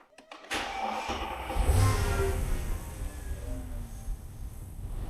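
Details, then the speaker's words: Mercedes E500 V8 with 250,000 miles, after refitting the drive belt that was the source of an earlier noise: it cranks, catches and settles into a low, smooth run with a throttle blip. There is no squeal or chirp; the belt drive sounds normal. "Yeah, it's good. There's no more noise. Let's give it a bit of gas anyway, just to Yeah."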